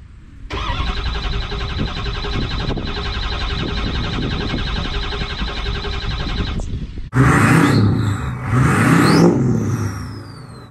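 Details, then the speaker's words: 6.0 Powerstroke diesel that repeatedly fails to start: starter churns engine at about four even beats a second for six seconds, never fires; crank no start, cause unconfirmed. "if you've ever owned the 60 power stroker any power stroke in that you know the struggle of that sound and it is not a very very fun thing to be experiencing"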